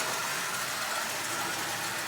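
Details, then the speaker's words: 85-year-old prewar Marx 999 tin-litho toy train locomotive after basic lubrication: a smooth, even high-pitched whir with no catches. It runs perfectly forward and reverse. "but as you see it runs perfectly forward and reverse"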